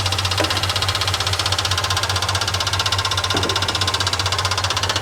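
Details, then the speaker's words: 1969 Ford F100 Ranger at idle after first start in years: sharp, even tapping about two and a half times a second over steady idle; mechanical fuel pump too loud and not working right, factory-style replacement ordered. "Okay, this pump is ridiculous. Okay, that pump is too loud. It's not working right."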